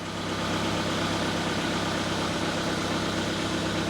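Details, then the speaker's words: 2009 Ford Fiesta 1.2 petrol after rear exhaust silencer replacement: smooth, steady low idle with even hum, no puffing, ticking or hissing; exhaust sealed and healthy. "Okay, I'll see if I can climb up and start it up, and we'll make sure it's all good. That's fine."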